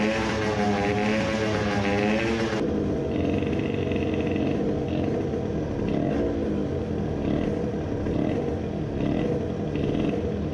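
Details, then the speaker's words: Two-stroke 50cc racing moped on a new Italian race carburetor (40 idle jet, choke on): raspy, hunting, floating revs; lean at low rpm and sputtering at full throttle, main jet judged too large. "at low rpm it was lean and at full throttle it was sputtering"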